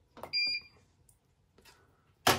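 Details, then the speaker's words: Bosch Serie 4 washing machine, 4 months old, at start of 30-minute super quick wash; short high double beep, pause, then sharp clunk as door locks and cycle begins. "there we go the machine is locked and it's going"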